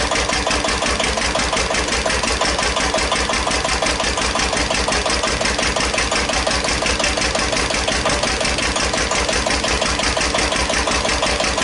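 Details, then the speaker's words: 1941 Witte CD 12 hp single-cylinder diesel 8000 W generator set, just started after long storage, warming up, no load: strong regular thump about two beats per second, running a little fast; owner suspects fuel pumps sucking air. "all right he's running just a little high oh let her warm up a little while"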